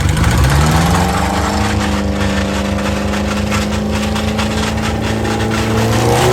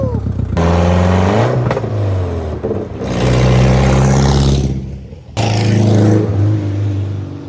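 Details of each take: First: Subaru 2.5RS abandoned about 20 years, first test drive after clutch, clutch fork and pilot bearing work: a rough droning scrape follows road speed, and it would not go into 2nd or 3rd. A loose driveshaft is rubbing on the rear differential. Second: Abandoned Subaru 2.5RS after clutch, clutch fork, pilot bearing, clutch bleed and driveshaft fixes, parking-lot drive up to 4th gear: revs climb and drop cleanly through gear changes, pulling smoothly with no clunks or grinding; normal driving.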